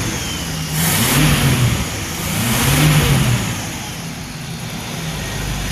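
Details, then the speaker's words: Ford Maverick 250 inline six in a Willys sedan delivery, first start after 15 years sitting, choke and timing adjusted, valves freed up (lifters earlier noisy): revs up and settles twice with even firing, no misses or knocks; running cleanly. "so this is the ford maverick 250 after 15 years of sitting"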